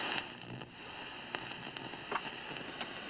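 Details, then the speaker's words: Mid-1960s General Electric AM/FM vacuum-tube table radio under repair: quiet hiss broken by scattered sharp crackles and pops on FM, clean at first then starting up; radio likely a write-off though tubes good. "just unfortunately I'm getting that noise on FM as well it was pretty clean at first and then it's starting up"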